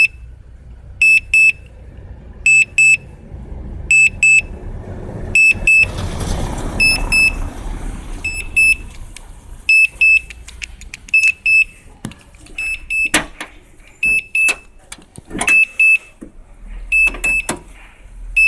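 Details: Suzuki Splash: a sharp, high beep repeats every second or so, mostly single but sometimes double or triple, over a quiet idle. It started after a jump-start, sounds once the battery is connected, continues while running, and the car drives fine.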